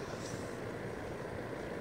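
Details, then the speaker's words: Space heater fan motor after a no-cost repair polishing the shaft, which had screeched, locked up and smoked: soft, steady whir with no squeal, scrape or knock. Fan motor running normally. "ruining not making smoking fire yay no smoking fire only heat"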